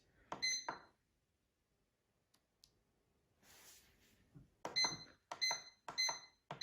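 Short, sharp high beeps, a handful in a row about a second apart, each a single button press in a quiet room; panel responding normally.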